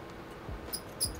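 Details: Lenovo Legion Y545 gaming laptop, one of two cooling fans (CPU/GPU) failing: sharp high mouse-like chirps and squeaks in short bursts over quiet fan whir; worn cooling fan bearing, fans replaced.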